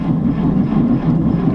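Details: 1949 Chevy 3100 on a 6-volt battery, choked cold start on a January winter night. Labored, slow, uneven cranking with no firing yet, as the weak 6-volt starter drags the cold engine: slow cranking in cold weather.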